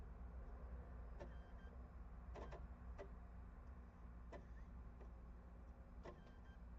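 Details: Console disc drive gives a low steady hum with irregular sharp clicks every second or so, failing to read a PS4 game disc; suspected blown disc drive or laser, not confirmed.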